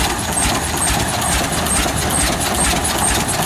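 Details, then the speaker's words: Old oil pull tractor just started at a heritage show: steady hiss over a slow, loping single-cylinder beat with faint ticks; onlooker suspects the compression release lever is still open, unconfirmed. "Maybe that's supposed to do that, I don't know."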